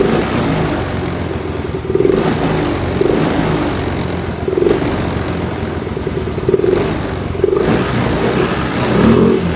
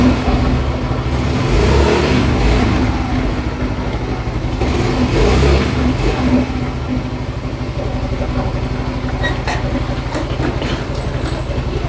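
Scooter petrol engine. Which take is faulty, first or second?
first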